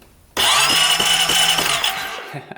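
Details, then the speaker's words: 2008 Honda Rancher 420 ATV with a new ignition coil and the old NGK BKR5E plug, cranked to check for spark: the starter whirs with an even chug for about 1.5 seconds, then spins down without firing; still no spark, cranks but no start. "nothing nothing at all I was really hoping that would just fix her problem right away"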